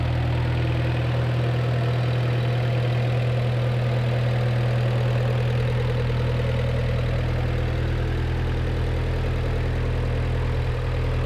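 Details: 1986 Suzuki Samurai turbo diesel after replacing the leaking injector pump with a rebuilt one: steady, even diesel idle with a low clatter and no misses or hunting; smoothest it has ever run, smoke nearly gone, some blow-by; normal idle.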